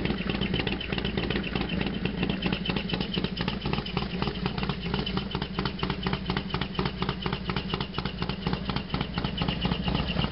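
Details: Harley-Davidson FXDX V-twin at idle just after a completely cold start: loose uneven clatter roughly twice a second over lumpy idle; loud noise, source undetermined.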